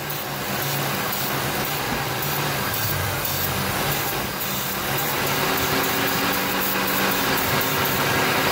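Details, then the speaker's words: 2002 Ford F150 XLT 4x4 V8 with codes P0171/P0174: steady idle under a constant hiss, and the idle note shifts as the vacuum leak is found at the rear elbow vacuum hose to the throttle body. "hear that right there that basically says right there that we found out we found our culprit the leak is coming from the back of this here"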